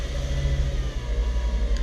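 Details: VW Jetta (sixth generation) after fixing a faulty temperature sensor that caused false overheating and hard cold starts: steady, even low idle with a smooth regular pulse and no knocks or squeals. Normal idle while being watched for overheating.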